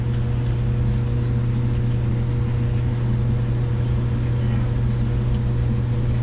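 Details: Samsung DVE50M7450W dryer running an empty cycle after repairing no-heat fault. Low, even hum with steady drum rumble, no knocks, scrapes or squeals; heat returned, normal running; possibly small debris rolling in drum.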